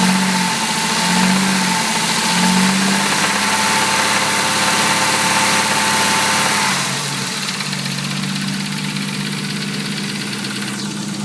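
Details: Nissan A31 Cefiro with RB30DET six-cylinder engine idling: a regular knock about three per second over the running note, the idle settling partway through; engine knock, cause unclear.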